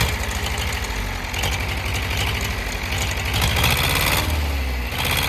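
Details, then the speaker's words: Perkins 4.248 diesel at idle, oil pressure normal at 3 atm idle and 4 atm revved; uneven, lumpy beat with occasional missed knocks — misfiring, injector nozzle suspected, or low compression in a cylinder. "але є проблемка з двигуном Він працює не чисто А підтроює може бути щонайменша причина це пітроє форсунка розпилювач підлягає заміні"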